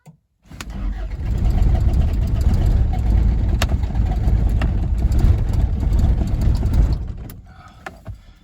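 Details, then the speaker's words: 1981 Isuzu Pup, 2.2L C223 diesel, cold at about 50–60°F after sitting a week, smoking: steady starter churn at about four beats a second for several seconds without firing. Long hard start. Injection pump timing or a leaking cold start device is suspected. "seems I got to keep cranking it maybe kind of let off cranking and try pumping in the pedal and it uh doesn't seem to go but it seems like it's almost ready to like it wants to"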